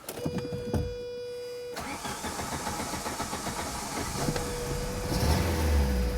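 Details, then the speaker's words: Saab 900 8-valve K-Jet car after swapping fuel injectors: short hum, then catches at once into a steady, even run with a clean rev and no stutter; a plugged injector suspected as the cause. "It's running so smoothly. One of those injectors wasn't opening until high enough pressure."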